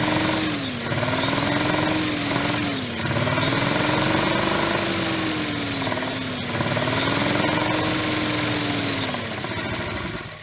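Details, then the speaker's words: 62-year-old Dodge V8 started after sitting 20 years; it turns over easily and catches, running only on fuel poured into the intake, with revs wandering up and down and a rough, chattering exhaust; the fuel supply isn't delivering. "You probably couldn't hear it as good from up front where you were, but I was in the cab and that exhaust sounded awesome. I'm going to fill it up again and let you hear it out of the exhaust."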